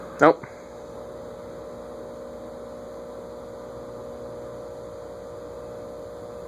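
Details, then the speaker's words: 1950s GE 20-inch plastic-blade box fan on a speed control, drawing close to an amp while barely turning; stopped by finger: click, then steady low electrical hum with no blade whoosh; motor energised but stalled, can't restart at this low setting. "it's amazing just how much current it takes to move so slowly permanent capacitor motors are definitely more efficient that's drawing close to an amp to only go that slow i wonder if i stop it with my finger if it'll have enough start again"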